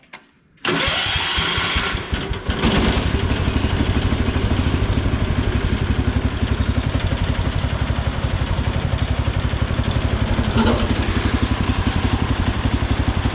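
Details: Cub Cadet 1200 with cast-iron single-cylinder 12HP K301 engine, sat for years, revived with fuel tank cleaning, carb cleaning and new fuel lines: short crank, catches, settles to even putter about four beats a second; normal start and idle.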